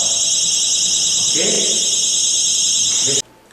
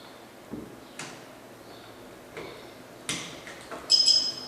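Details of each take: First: Anti-theft security tag armed on a display notebook: pulling the tag off triggers a piercing, continuous high-pitched tamper alarm for about three seconds, then it cuts off abruptly. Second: Anti-theft security tag for notebooks: a few plastic clicks as the pin seats into the base stuck on the laptop, then a short high chirp showing the tag is locked and armed.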